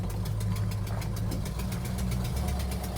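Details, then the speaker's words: 1971 Plymouth Hemi Cuda V8 idling: rough rumble with sharp regular ticking about eight per second; exhaust manifold leak; owner says it sounds terrible. "it's got a bit of a curve to it and then I'll put it on without gaskets like the factory did"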